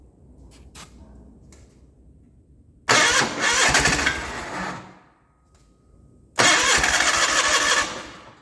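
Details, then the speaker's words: 1989 John Deere 420 garden tractor on auxiliary fuel tank: catches with a ragged burst, runs a couple of seconds, fades and dies, restarts and stumbles; owner suspects suction loss through open fuel pump port, starts then dies. "okay so it sounds like i'm losing pressure suction pressure through the pump that exit that's open"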